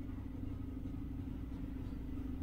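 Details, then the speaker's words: 1993 LSE air suspension after refitting the compressor with a new diaphragm, steady low quiet hum with no hiss or rattle, much quieter than before; some noise remains at the back, valve block suspected. "barely makes any noise a lot quieter than it was still noisy at the back"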